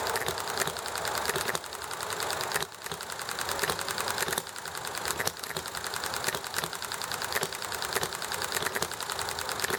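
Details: Enjomor small hit-and-miss engine: sharp firing bangs about once a second over a constant fast clatter, regular coasting between power strokes, with chatting and highway noise behind; normal hit-and-miss running.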